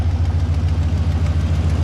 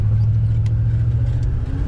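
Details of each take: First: LS V8 swapped turbo Nissan Patrol, on a static tune, cold: fast sharp ticking in time with firing over a slightly uneven idle; tick much reduced but an exhaust leak remains. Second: LS V8 swapped turbo Nissan Patrol, after reseating a loose spark plug boot on a coil pack to fix a miss: deep, steady rumble pulling evenly with no stumble; running much better, still rich.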